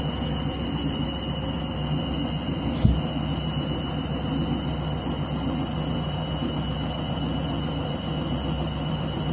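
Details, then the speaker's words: Washing machine on spin and drain after a reset from synthetics because it wasn't heating: steady loud roar with high whine and one sharp knock near three seconds, never seen before; loud abnormal spin, cause not known. "How dodgy spin a cycle this. Never seen it do this before."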